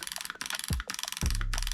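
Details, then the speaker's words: Backdraft Phoenix HPA engine (1.4 beta), dry-fired with no BB after being programmed to full auto: quick, even clicks about twenty a second in bursts while the trigger is held. The solenoid is cycling normally. "And now we got full auto. You can hear the clicking."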